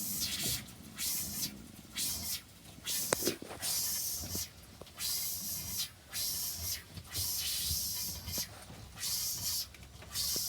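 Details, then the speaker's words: Kodiak Scamper trailer water pump switched on for its first test: irregular hissing spurts come roughly every second with gaps between, and the water looks bubbly. The sputter suggests air being pushed through the lines, but this is not confirmed. "water pump water heater did you hear that yeah click so it's doing its job look at that it's like so bubbly watch the water"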